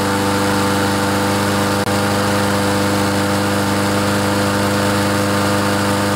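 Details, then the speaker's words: Troy-Bilt TB130 mower with Honda engine, after clearing water from fuel and carburetor; steady drone staying low, not revving up, governor spring too slack, fixed by tightening spring with pliers. Low engine speed from loose governor spring. "you notice this lawn mower doesn't rev up very much there is something that we can do to fix that if you see this spring here if we if we're able to get that spring tightened a little bit the engines going to rev up more"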